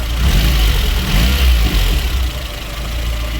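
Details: VAZ 2109 after head gasket replacement and valve clearance check, cooling system bled: deep steady idle swelling smoothly with a light rev and settling back, no misses or knocking; claimed 80,000 km, petrol only.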